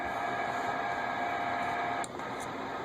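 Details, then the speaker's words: Uniden Bearcat 980 SSB CB radio on the regular 40 CB channels: a steady, raspy buzz with a faint thin whine under the receiver audio, interference from computers in the workshop. "like I said this is the regular CB channels and that buzzing noise you hear that's the computers here in the uh in the workshop"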